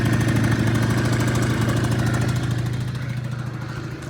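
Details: Honda Dio 34 two-stroke moped after repair (new needle bearing, fuel filter, exhaust gasket; earlier loud chattering under throttle): steady, even putter with no knock or rattle, tapering off gently; normal idle.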